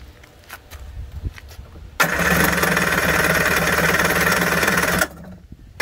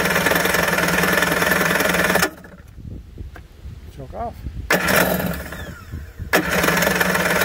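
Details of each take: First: 1991 Kawasaki 550SX jet ski, first start after six years stored with fogging spray, choke on, no cooling water: silence, then engine catches and runs raggedly about three seconds before dying; firing on choke, not holding. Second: 1991 Kawasaki 550SX two-stroke jet ski, first start after six years stored, run with choke then half choke, no cooling water: lively buzz cuts out briefly, refires and runs cleanly; starts and runs well.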